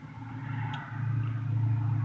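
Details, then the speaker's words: 1978 Ford F-150 with 302 V8 idling with low, uneven chuffing; blown head gasket leaking compression. Owner first suspected exhaust leak or plug porcelain leak on cylinder three; new plugs in three and four changed nothing. "bad news is we got a bloat head gasket I'm gonna fire it up and show you and I think what that is I was thinking is exhaust leak or one of the plugs like around the porcelain on it"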